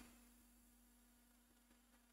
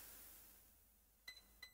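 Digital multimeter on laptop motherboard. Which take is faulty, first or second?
first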